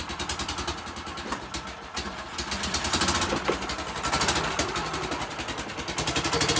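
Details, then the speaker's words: Golf cart engine before repair: extremely loud, raspy running with fast, uneven puffing chuff and no muffled tone, from the blown-out exhaust gasket at the exhaust pipe. "start this thing is Extremely Loud right now"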